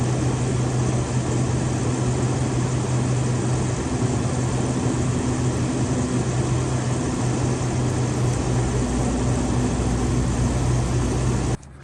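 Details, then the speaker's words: GE rooftop air conditioner on a Grand Design XLS 22MLE RV, run with an amp probe before fitting a Micro-Air Easystart (start draw thought to be around 25 amps): loud even drone, strong low hum under steady fan roar, no knocks or surging until switched off; normal. "Okay, we're going to turn the air conditioner on and see what the amp draw is on the unit before we hook up the Micro Air Easystart."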